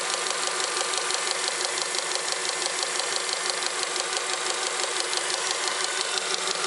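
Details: Honda Accord 7 with engine running: steady idle with a light, fairly even tapping about ninety a minute under the hiss, a knock under the hood traced to the power steering pump.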